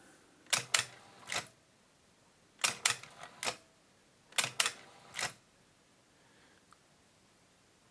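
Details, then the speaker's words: Akai GX-77 reel-to-reel deck after replacing a seized, stripped loading gear cam; lifter switch had seemed to jam when pushed down: quick bursts of crisp double and triple clicks as the loader lifts and drops cleanly; normal lifter operation. "Okay, this is the up and down loader switch. Up, down."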